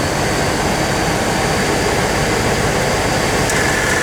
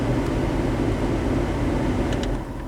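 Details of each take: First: 1997 GMC Savana, AC on max at idle during R134a recharge: over a steady idle a faint compressor whine cuts in for under two seconds and drops out, pulling engine rpm down; compressor short cycling from low refrigerant. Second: 1997 GMC Savana after an R134a A/C charge, running about 73 minutes at about 90°F outside with 35°F from the vents, fan on low: a steady low blower rush over light engine hum as the compressor cycles on and off. Normal A/C operation.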